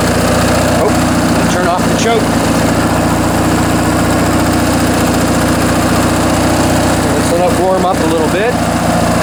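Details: Briggs & Stratton 19.5 hp opposed twin from a Craftsman mower, long stored and tampered with, on bench test after carburetor rebuild and stripped main jet removal: holds a steady, even putter with no stumbling or hunting; normal idle.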